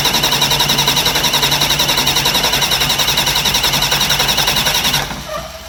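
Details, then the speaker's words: Newly fitted leakproof Delco Remy 39MT starter, replacing a 50MT, cranking a diesel in a shop at about 52 degrees with no glow plug power: strong, even cranking about three and a half beats a second for five seconds, then cutting off. Healthy starter cranking. "so it's got good cranking power"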